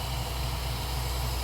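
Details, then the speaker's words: OBS Ford Bronco warming up after starting-issue repair: steady low idle with a soft airy hiss as the idle air control motor slows and settles; IAC steps read 225, target 3–10, idle set screw still to be adjusted. "You hear the idle air control motor slowing down? That sucking sound that some of you in the comments are just gonna say, well, that's a Ford sucking."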